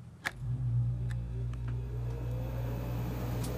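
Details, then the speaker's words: Dometic RV air conditioner after relay board swap (compressor had been stuck on), thermostat set to 70: relay click then steady low hum with slowly rising tone; starts cleanly and runs normally, air drawn through intake vents. "here we go she works it i can feel the air getting sucked in through these intake vents and coming out here as it's supposed to"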